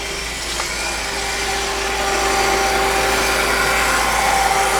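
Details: 2002 BMW E46 M3, after SMG-to-6-speed manual conversion: constant high-pitched whine over idle, not changing with engine speed, with burning electrical smell and smoke and the car won't shut off; starter stuck engaged and spinning.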